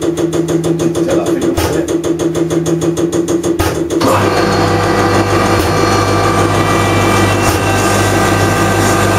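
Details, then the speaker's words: Common rail injector on calibration test bench while its timing is adjusted to match the profile: fast regular ticking gives way to a louder, heavier, steadier drone as the rig works harder injecting more fuel quantity. "I'm not sure if you got here or not but I'm just adjusting theor now you'll hear the the the equipment work harder as it's actually injecting more quantity"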